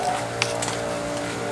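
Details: Husky air compressor running during a sound test, heard as the recorder walks deeper into the shop and back to the front: constant low motor drone with steady pitch, no rattles or surging; compressor runs normally.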